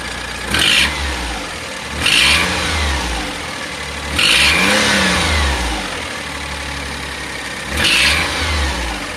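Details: 2005 (H17) Daihatsu Atrai Wagon Custom Turbo R S320G, 170,000+ km: sharp puffing tick with each rev blip, speeding up with engine; fades once warm, returns after restart. Exhaust manifold leak caused by broken manifold bolt.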